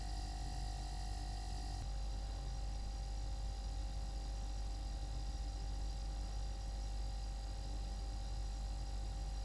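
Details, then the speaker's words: New Everglades compact refrigerator with freezer compartment: low steady compressor hum cuts out with a soft knock, the owner's "weird corky noise" at shutoff, leaving a quiet rumble of refrigerant flow; compressor shutdown clunk. "And it makes this weird corky noise when it turns off."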